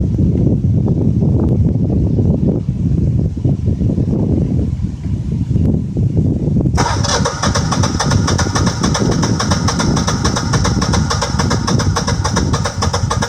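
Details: Generac 6244 20kW standby generator with low gas supply, 5.5 in water column at sediment trap, fixed by replacing 3/4 in pipe with 1-1/4 in; labored cranking for seconds before abruptly catching into a hard, buzzy run.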